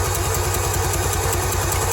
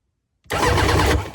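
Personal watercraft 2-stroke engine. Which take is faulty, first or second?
first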